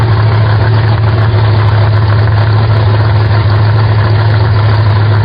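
Steady low rumbling idle, fairly even with slight unevenness in the beat, heard while the idle screw setting is being checked.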